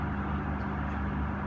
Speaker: I think they call it a sweep time or purge time. And it's designed, if there's any unburnt gas in the oven, it dissipates it.